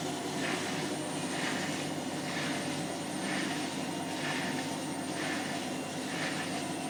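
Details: Hotpoint washing machine on spin on the 30 setting: a scratchy scrape with a squeak comes round about once a second with each drum turn, something rubbing, cause not yet found.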